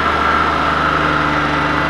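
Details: Suzuki Multicab that would not start, running after a jump start with alternator confirmed charging: small petrol engine idles evenly with a steady hum, no knocks, misses or squeals. Normal idle.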